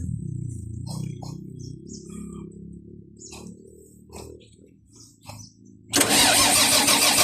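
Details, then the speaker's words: Volvo EC210BLC excavator, D6D diesel, after new primer pump fitted and strong fuel flow confirmed: starter spins the engine steadily but it never catches; crank no-start from air in fuel system, fixed by bleeding at the rear cover, then started. "So ayan na mga boss. Ayaw talagang umandar. So binuksan namin itong rer cover. Nag-bleeding kami dito."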